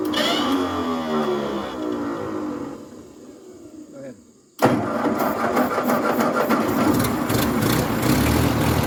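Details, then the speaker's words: 1950s Ford 8N tractor (converted to 12 volt, supposedly new carb, gravity-fed temporary fuel supply) catches, runs unevenly a few seconds, fades and dies, then fires again; starts then stalls, owners suspect fuel issue though carb looks clean. "as you can see it's kind of wanting to run we're having a fuel issue we've been through the carb a couple times that's supposedly a new carb it looks nice inside but it just isn't wanting to work"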